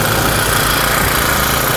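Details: Honda GX35 brush-cutter engine just rebuilt with a new cylinder liner and piston rings, running on petrol and warming up: a steady, even buzzing idle above 1,000 rpm, no misses, knocks or surging. It sounds healthy.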